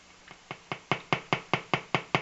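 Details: Colour-changing LED bulb on 4.5–6 V DC batteries: sharp, evenly spaced clicks about five a second, steady after a quiet start; interference noise from the colour-cycling LED.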